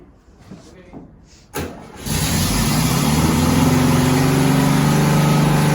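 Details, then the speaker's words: 1972 Volkswagen Westfalia bus with CB Performance Solex carbs, not run for two to three months: catches after a few cranks and holds a fast, steady racing idle that won't drop; choke mechanism holding the throttle open. "okay so as you can hear we've got a lot of problems with revving"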